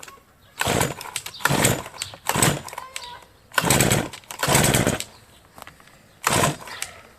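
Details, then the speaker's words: Brush cutter (string trimmer) after winter, fresh fuel, primed, hard-starting since autumn: repeated pull-start bursts fire briefly and die within a second, never catching to a steady run; fuel filter is the first suspect. "Ну і пробуємо стандартно, як завжди це робиться, заводити. Щось підглючує. Пробуємо ще."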